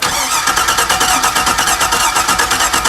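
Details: 2001 Chevy Suburban cranks but won't start: steady starter cranking about three pulses a second with no firing; fuel pump suspected, prime and load power tested; cause not confirmed.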